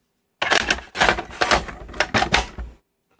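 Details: Panasonic NV-M7 camcorder tape transport during a teardown: irregular bursts of sharp mechanical clicking for about two seconds, then silence; the intermittent fault's cause is not yet found, and chroma is also missing on playback.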